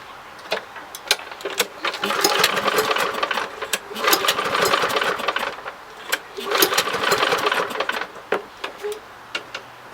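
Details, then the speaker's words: Lawn Boy model 10604, 20-inch, Kohler 6.5 149cc TRU-START engine: several pull-cord cranking bursts, engine turns over briefly but never catches; cranks but won't start, owner suspects spark plug. "so hmm i wonder what the problem could be i mean it does say it's a true star commitment i mean it's supposed to start maybe it's a spark plug"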